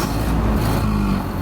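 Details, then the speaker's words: Warm 1930 Ford Model A pickup, off the road since 1986, started with throttle a little open and timing about halfway: it labours and bogs with an uneven low rumble that won't build revs. Fuel starvation suspected, with a tank valve plugged by rust particles from the tank. "Nah, it's bogging down. Jesus. I'll go get the tools. Kind of acting like same thing again, right? Yeah. Yeah, it's probably plugged up. That valve is probably plugged up again."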